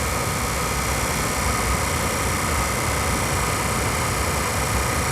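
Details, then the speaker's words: Suburban SFV-35FQ RV furnace that had been lighting then going out into soft lockout, during repair testing: fan clicks on, sail switch and regulator click, then a steady even roar of blower and flame with no surging or popping; stays running. "you can hear it just click the fan on in a few seconds it'll click that regulator that let you know your sail switch is working and it should try to fire"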